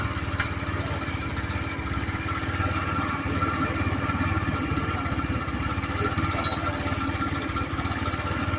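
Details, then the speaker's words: Honda Click 110 carbureted scooter at idle, belt cover removed: fast uneven metallic scraping chatter from the rear pulley area; clutch bell fins rubbing the crankcase. "ครูดึงออกเลยนะครับระวังด้วยเนี่ยครับเราเราจะได้ยินเสียงมันดังมาจากเนี่ยครับชุดคู่เล่หหลังอ่าได้ยินเสียงมั้ยครับมันดังมาจากชุดพู่เล่หลังทีเนี้ย"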